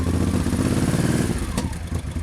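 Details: 1989 Honda VT1100C Shadow Spirit V-twin at idle: deep, lumpy steady beat, no knocks or rattles; runs normally, though owner hears a mystery sound near the left crankcase starter when switching off.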